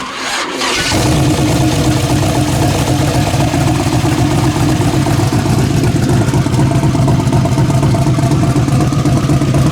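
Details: Camaro V8, rejetted 86 secondary/75 primary after fixing vacuum leak from broken ported-vacuum port, timing set: catches within a second, settles into strong even lope with no stumbling; normal start and idle.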